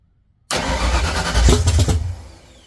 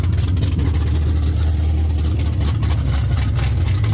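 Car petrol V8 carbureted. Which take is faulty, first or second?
first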